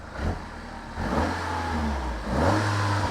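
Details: Peugeot 308 GTi Prince engine after replacing the rubberized water pump pulley, which was suspected of a fast, jittery noise. Warm engine climbs cleanly through two blips and settles back smooth, with no squeal or rattle. Idle is smooth and there is no engine light.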